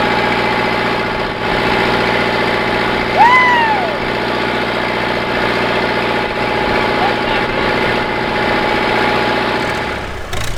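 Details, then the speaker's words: Massey Ferguson 50HX backhoe loader, 4-cylinder Perkins diesel, hydraulic pump not yet connected to the engine: steady even idle clatter with no knocks or misses and a brief squeak over it; healthy, smooth idle. "Well, this old girl is just sitting here idling away."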